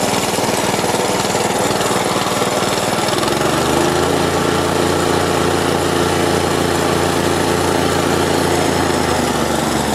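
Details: Store-bought plate compactor with an unknown Chinese Honda GX160-copy engine that had been starting then dying, now fitted with a new spark plug and plug cap: steady, even thumping after a brief speed change at three seconds; sounds healthy.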